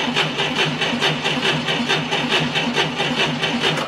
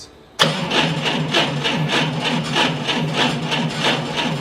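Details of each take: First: 1990 Ford Thunderbird Super Coupe, revived after years of storage, with a brand-new battery fitted: brisk, even starter cranking with steady quick compression pulses and very little voltage drop; good cranking speed. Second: Propane forklift cranked by remote start button with key off and no propane: slow, uneven cranking that never catches. Battery voltage was lower than wanted while cranking, near the 9.6 V minimum spec, and recovered poorly to about 12.3 V, so the battery is weak.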